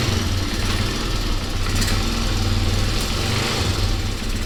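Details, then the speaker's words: Honda XR200R single-cylinder dirt bike, restored basket case, after spark check and carb spray: fast, even idle with a small blip, no knocks or rattles. Earlier rattle suspected timing chain or clutch side; now running healthy. "oh that sounds great"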